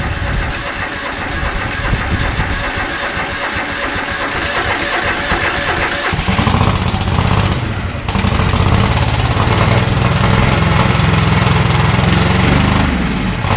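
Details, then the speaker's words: Husqvarna lawnmower revived: jump-started on jumper cables with choke on after freeing slightly rusted rotor part; labored cranking about six seconds, then catches and settles into a steady, deep, even run with no misses: healthy start. "Okay, I got my jumper cables hooked up, and let's try to see if this thing will draw some fuel. I got the choke on. Let's see if it starts."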